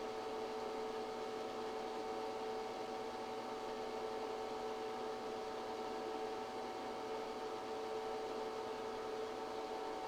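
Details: ChocoVision Revolation 2B chocolate tempering machine, 0.68 kg (1.5 lb) capacity, 220/110 V, melting chocolate toward a 108°F melt point over roughly 20 minutes: steady even hum, constant mid-pitched tone, no knocks or surges; running normally.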